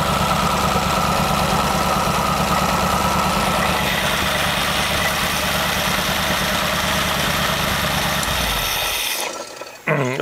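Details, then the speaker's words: Studebaker V8 on run stand, first start with new Evans intake manifold: smooth even idle around 700 rpm, 18–19 inHg vacuum, good idle mixture, no misses or knocks; normal idle. "it's pulling a very nice vacuum at 18 to 19 inches it probably sounds like maybe 700 rpms and getting a very nice air fuel mixture at idle"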